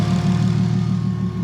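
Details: Built engine after a hard first test drive, warm: steady, even low idle with no knocks, ticks or misses; coolant and intake air temps good, engine sounds healthy.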